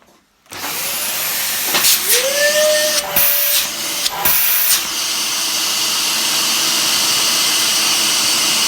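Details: Dyson DC15 after brush bar repair (broken yoke wire fixed, cover refitted): motor spins up quickly into a steady high whine holding through a few handling clicks; running properly.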